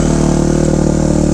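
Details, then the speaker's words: 2005 Kawasaki KX250F single-cylinder four-stroke after carb retune (needle dropped, main jet raised, richer top end), started on choke with one kick, warming up: quick, even firing beat, steady pitch, no misses or rattles; healthy idle. "so we'll let her warm up real quick and then we'll ride her around the yard"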